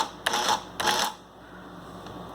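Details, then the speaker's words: Canon MP11DX adding machine after repair, switched to print position: two quick mechanical print chatters about half a second apart, then quiet hum; printing unit cycles cleanly, working perfectly. "This is working perfect now."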